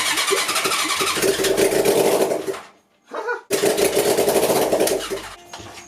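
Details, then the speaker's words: 1980 Honda CB750C engine in half-scale NASCAR kart, starter fluid added, vacuum fuel pump dry: rapid even cranking chuffs without catching; no fuel reaching carb. "I'm just gonna try and crank it turn off the fuel so the fuel doesn't get sucked back in and then I'll pop this off the carb and angle it down and see if there's anything in the fuel pump getting sucked up at all not a drip"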